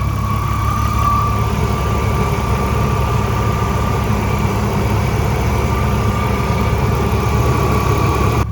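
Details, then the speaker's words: BMW E36 warming up after a plastic-part repair: steady fairly high-pitched whine over a smooth warm idle, constant pitch; car has made this whine for two years, source unconfirmed. "And I mean this whining noise uh the car has been making this noise for 2 years and it did work."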